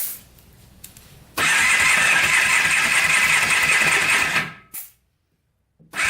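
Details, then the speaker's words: $250 Polaris Trail Boss 250 4x4 ATV compression test cranking: fast light spin, about two and a half chuffs a second, no firm push-back; about 70 psi versus 100+ wanted, owner suspects stuck rings or bad crank bearings. "about 70 pounds of compression since we've got low compression which is not good i'm guessing either the rings are stuck or the crank is bad one of the two"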